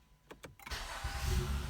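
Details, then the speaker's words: 2015 Honda Accord V6 after the fix for a grinding zing at the flywheel, second start attempt when it used to zing: a few quiet clicks, then clean starter engagement into a steady low idle, no grinding; normal. "That's good. That's good. Usually by the second time, it would zing."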